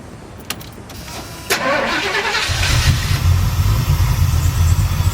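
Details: Chevy C-10 shop truck V8 after swapping a Killshot for a Royal Flush: quiet lead-in, brief crank, then it catches and settles into a steady, lumpy low idle; normal start and idle.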